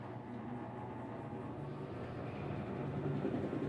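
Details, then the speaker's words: Whirlpool Xpert System 18 kg washer, drain-and-spin test for loud noise when spinning: low smooth hum building as drum spins up, gentle churn, no banging; slow turn confirms actuator in spin position; normal spin start. "Ese fue nuestro actuador que cambia posición de Spin ese giro lento que hace es para comprobar que ya está en posición de Spin"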